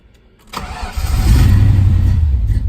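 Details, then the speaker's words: Mustang GT after refurbishing gas tank with new fuel pump, level sender and fuel filter; previously died. Short crank, crisp catch, strong rise into a rev that holds smoothly without stumbling: normal start and rev. "cool so it runs now again it doesn't die anymore it's got gas so that's a that's a big step done"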